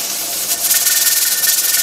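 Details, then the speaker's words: Pressure canner with dial gauge and weight, for low-acid food, gauge at 10 psi and 240 degrees for the owner's altitude: steady steam hiss with a quick rhythmic jiggle as the weight rocks and rolls; normal at pressure, before heat is reduced. "on the money my gauge reads 10 psi 240 degrees and my weight is rocking and rolling"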